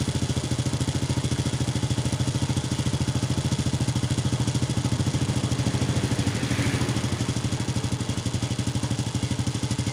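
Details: Honda Wave 100 that started hard and stalled despite cleaned carburettor and new air filter, after cleaning the clogged fuel filter restored fuel flow; strong, regular single-cylinder beat at idle, steady without stalling, running normally.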